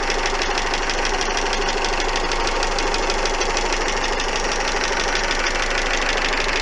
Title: стучит двигатель